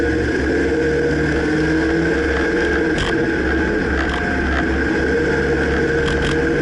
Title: Dodge Ram 2009 Clunking noise can't pinpoint